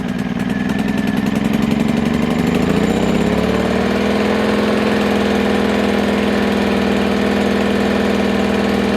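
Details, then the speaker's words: New WEN 2000 inverter generator, first cold start with choke then choke pushed in: catches and settles within about three seconds into a smooth even hum with no misses, some initial exhaust smoke fading; normal running. "Push the choke in. I'm gonna let it run for 30 seconds. And as you saw when it first started up, the smoke came out the back. There's still a little bit of smoke, but it'll go away."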